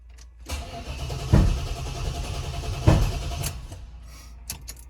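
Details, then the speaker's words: 1995 Chevrolet Impala SS, started after sitting in the garage about three weeks: cranking with two sharp bangs about 1.5 s apart, no steady idle; nasty backfire on start, owner suspects Opti, injectors or MAF, unconfirmed. "well then I don't think we're moving the Impala that was some pretty nasty backfiring it's a good thing it's sitting in the garage"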